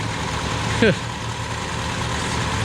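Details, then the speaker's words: 1979 Honda Accord 1.8 CVCC with Weber carburetor conversion. Steady, even idle with a soft low rumble, no stumbles or skips; the earlier miss is gone and smoking is reduced but still present. "it's gonna be a fun car to try listen to her just purring now"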